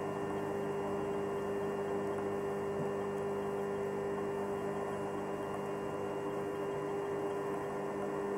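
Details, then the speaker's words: Electrolux EHH 3920 BOK induction hob heating water, about 2.5 minutes in: no inductor coil buzz now, only a steady even cooling-fan whoosh with a faint constant tone; fan speeds up as it runs; supply cable stays cold. Normal cooling fan noise. "а сейчас не слышно, как гудит индуктор. Просто работа вентилятора слышно, и все."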